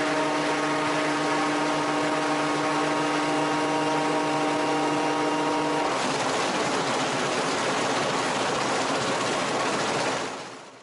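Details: Raptor prototype aircraft on its takeoff roll: an even engine drone turns into a violent rough roar for about four seconds from nose gear shimmy. Braking would worsen it, so power was pulled back and the aircraft rolled out.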